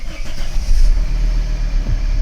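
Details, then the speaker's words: Volvo V70 2.4D P3 diesel with a history of misfiring from a faulty injector wiring loom: a deep, steady rumble picking up smoothly when revved, with no stumble; starts and drives normally. "started there's no it drives nice there's no issues whatsoever"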